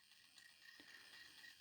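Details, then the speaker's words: 1930s Garrard English mantel clock on the bench during service: strike train check; quiet ratcheting clicks and a sharper snap as the rack advances, pin drops and hammer lifts each cycle; no parts missing, strike mechanism working fine, hammer may need readjusting onto gongs. "it's moving the hammer every time it operates that so there's no parts missing from there it seems to be working fine"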